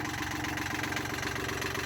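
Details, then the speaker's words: 33-year-old Yanmar sailboat diesel idling after a full rebuild and reinstall: even, steady low beat with no knocks or misses, and no longer overheating as it did before; the owner fears it may break, but it runs smoothly. "no it's not something bad's about to happen it sounds fine like I think I don't know I mean"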